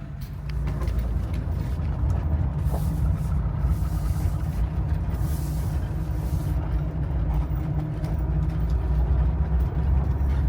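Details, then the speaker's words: Old Mercedes-engined car with M110 engine, start: catches promptly and settles into a steady, even low rumble with no knocks or misses; normal, healthy start typical for this engine. "Yeah, this is how this M110 engine usually starts. Nothing to it."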